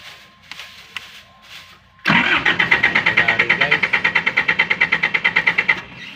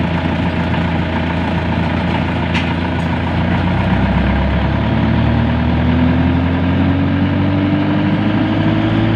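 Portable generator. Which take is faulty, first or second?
first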